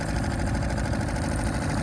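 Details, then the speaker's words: Suzuki 2.5 HP outboard in the water, after choke pushed in: little outboard putters at a steady, even idle, small throttle turn raises rpm, no stumbles or knocks; idling nicely. "you can now push the choke in it's idling very nicely we can give a small turn of the throttle hear the increase in rpms idling nicely sounds great"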